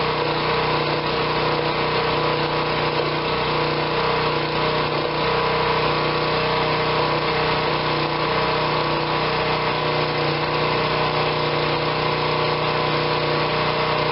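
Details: Generac 2500 psi pressure washer that would not run when acquired, running after repair work: a steady, even small-engine drone without surging or misfiring. It is running normally.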